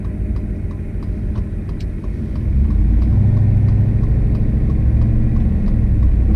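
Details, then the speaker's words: Boosted petrol truck running: light, steady diesel-like tick and grinding noise, owner thinks injector pulse carried through the fuel system, transmitted because the fuel pressure regulator is bolted to the firewall; plans to unhook it. "like you hear that like grinding noise and the truck sounds like a freaking diesel so I think it's like the injector pulse and you can hear it through the fuel system"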